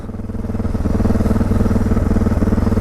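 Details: 2006 Suzuki DR650 with FMF header, Lex slip-on, drilled airbox and carb slide: fast, slightly lumpy jumpy idle around four pulses a second and rising; idle set too high and still surging.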